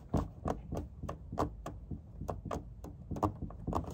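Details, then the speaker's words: Toyota 4Runner cabin while driving over bumps: sharp, irregular plasticky clicks and knocks several per second from the rear; worn rear hatch latch mechanism and striker rattling, fixed with electrical tape and zip ties. "there is nothing more nothing less than rear latch mechanism has worn quite substantially along with the Beast down here"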